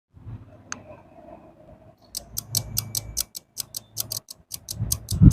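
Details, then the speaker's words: AC voltage stabilizer after replacing one relay with a 30 A unit, input voltage raised about 20 V: sharp clicks in quick uneven bursts over a low hum, relays chattering; fault showed between 140 and 170 V and the noise stopped at 200–212 V. "मैंने इसे 20 volt और बढ़ाया, relay तुरंत शोर करने लगा।"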